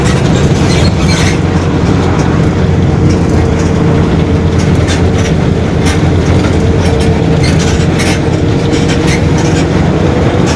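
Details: 2021 Marcopolo Torino S on Mercedes-Benz OF-1721 BlueTec 5 chassis, long city bus, under way: a steady mid-pitched hum above the road rumble and rattles, the differential growling.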